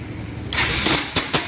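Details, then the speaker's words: Bajaj Pulsar NS 200 starter whirs harshly with sharp metallic clacks and the engine fails to start, from a slipping starter one-way clutch, which is repaired with the magneto cover opened. "Self కొడితే ఒక మాదిరిగా sound వస్తుంది start అవ్వడం లేదు"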